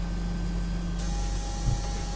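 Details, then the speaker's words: Canon LiDE 120 scanner after reassembly; steady low drone with a thin whine as the carriage moves because its alignment was wrong. "और ये क्योंकि alignment इसका सही नहीं था तो ये आवाज़ करने लगा। ये भी एक प्रॉब्लम आता है, तो आप करोगे तो बहुत सारी प्रॉब्लम सीखने को मिलेगा आपको।"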